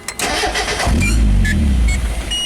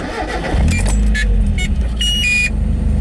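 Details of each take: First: Mazda Miata idling problem with the intake-manifold vacuum hose removed, parked in neutral: starter cranks, engine catches for about a second, then dies instantly from a large vacuum leak. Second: Mazda Miata petrol engine after a temporary intake-hose vacuum leak fix with duct tape and zip ties: cranks, catches and settles into a steady, even idle around 800 rpm; normal start and idle.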